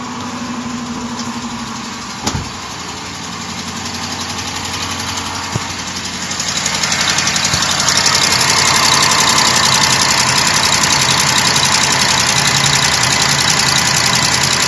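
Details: 2012 Jeep Grand Cherokee WK2 5.7 Hemi V8 on cold start after standing overnight: light, fast ticking over idle that quiets within a minute, longer if driven straight away; owner unsure whether lifter, exhaust leak or noisy injector.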